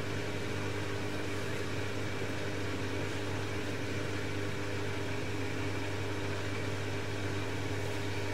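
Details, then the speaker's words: Bosch XL dishwasher with E25 drain error, after clearing a piece of plastic and removing standing water: constant low, even pump hum with no rattling or grinding; draining and washing normally. "So, all of that was caused by one piece of plastic. That sounds much better."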